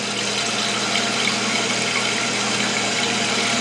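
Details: Toilet after installing a new Fluidmaster fill valve, water turned on and cranked up, no leaks: steady unbroken rushing hiss filling the tank, no sputter or hammering; fill valve working properly.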